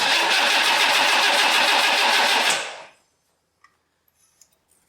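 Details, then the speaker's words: 1962 AMC Rambler, 196 cu in straight 6, abandoned 47 years, Carter AS 1-barrel carburetor: catches and revs about two and a half seconds then fades and dies; owner unsure float bowl has fuel, likely fuel starvation. "was that an idol I'm not sure how much fuel is in the float Bowl still let's try it again"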